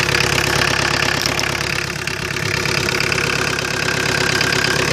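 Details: 1985 Ford Escort diesel with a Mazda RF 2.0 engine (Perkins-derived, belt-driven injection pump off the cam, five-speed) on its first start after 3 years, with only two good glow plugs: steady, even clatter, no misfire or hunting; normal idle.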